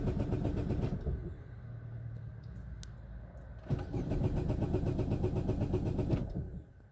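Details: 2010 Chevrolet Aveo start after a transmission mount repair, with the motor support out and far less engine rock than before; neutral, brakes on. The engine cranks, catches and settles into a low, even idle with no clunking or knocking.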